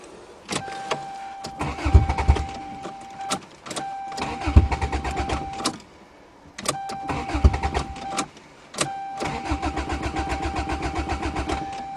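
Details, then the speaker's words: GTS car with no exhaust or back pressure, cold start in snowy December. Four bursts of fast cranking and the engine never catches; cranks but won't start. Owner says such cars are hard to start in the cold and it did this last winter. "right I give up we're not having a good day like last time"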